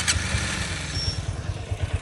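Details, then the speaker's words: Honda CB200X that sat about a month with a fully drained battery: a lumpy, uneven idle with irregular low thumps; it barely starts, tends to die and won't take revs. The rough running's cause is unconfirmed. "जानु हो बल्ल बल्ल start हुन्छ हो of भैहाल्छ। Race ग race पनि लिनु मान्दैन यी।"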